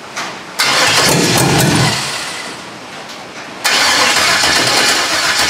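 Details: Foxbody with LS V8 swap on standalone harness, first start, rain on metal roof audible: cranks, catches and revs, stumbles and picks up again, running loose and uneven; rough untuned first start.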